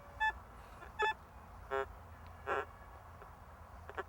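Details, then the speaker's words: White's M6 metal detector, target tone ID on: four short buzzy grunting tone bursts with changing pitch, ID jumping from minus 45 to the 80s; unstable, non-locking signal, likely trash, possibly edge effect from a nearby large target. "Now it's giving me a low grunt. So, yes, it's going from minus 45 all the way up to the 80s, minus 9. There's a plus. If I increase the sweep speed, you can hear the audio tone grunting."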